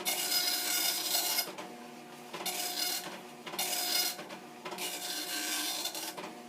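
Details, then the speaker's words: Commodore NX-1000C multi-font dot matrix printer, version 1.3, self-test cycling through fonts and styles, started by holding paper feed at power-on: even rasping print passes about every 1.5 s, each full and consistent; happily printing normally, ribbon good, no dead pins. "So, for the moment, this does seem to be happily printing."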